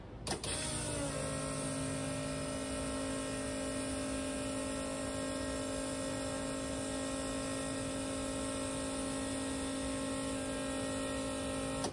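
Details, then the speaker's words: 55 Buick turbo LS twin-pump fuel system: 044 pump switched on alongside the first pump, both running; steady high electric hum whose note drags lower as the 044 starts pushing fuel; no leaks seen; normal fuel pump operation. "now turn it on and uh both pumps will be [Music] running where hear that 044 drag right down when it starts pushing fuel I think it's"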